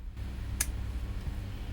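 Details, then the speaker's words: IRFP240 N-channel MOSFET in a DIY transistor tester, 9 V load: a steady low buzz with one sharp click coming through the PC speakers, only at certain currents. Electrical interference causing speaker buzz. "So when I pass current through this MOSFET, it makes strange sounds on my PC speakers."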